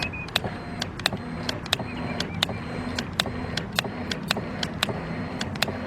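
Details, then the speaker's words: 2006 Nissan Altima, cranks but won't start after stalling on the highway; the electric fuel pump, previously replaced by someone else, is jumped directly. Steady whir with a sharp tick about twice a second: a failing, noisy pump with something loose inside. "Now that sounds better, but it did not sound good at all. So I'm wondering if something loose in there."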